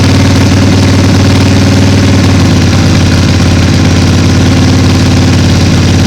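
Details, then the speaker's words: 2005 Harley Sportster 1200 XLC, 25,000 miles, after winter storage, slow to start on a low battery: deep loping V-twin idle, even and steady, no knocks or misses; healthy. "yeah you know i love the sound of it i mean it just sounds so much healthier even if it didn't start right up"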